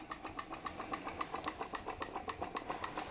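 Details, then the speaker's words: PM Research glass Stirling engine (Solar Engine #7) driving a model Baker fan: even light ticking about 220 beats a minute, steady rhythm, working away under load; normal running. "i honestly god how good does that sound for us down the engine just working away under"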